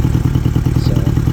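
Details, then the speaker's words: 1978 Honda GL1000 Gold Wing with idle set a little over 1000 rpm; previously it idled high, and a too-low idle made it stall. Steady, even low putter with no hunting or stumbling: a normal idle. "for me I'm fine with that I'm fine with this right here it's not high like it was but it's not it's not low just to me it's it's pretty fair"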